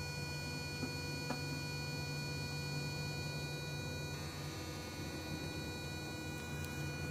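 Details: 2002 Toyota Prius, odd buzzing from the throttle body motor, whose plastic has cracked: a steady electrical buzz with several fixed tones over a low hum.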